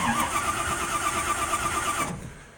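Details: Rat rod with a push-button starter, MSD ignition and safety cut-off switch, started in neutral with the neutral safety switch removed and no clutch needed: quick rhythmic cranking catches within about two seconds, then settles. Normal crank and start.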